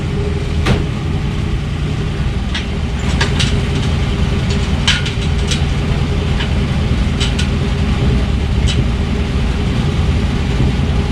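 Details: Chevy 350 V8 in 1952 Ford F1 truck after first start, about 45 psi oil pressure, temperature near 170, no fan fitted: steady deep rumble, even low beat, no knocks or misses; running smooth and healthy.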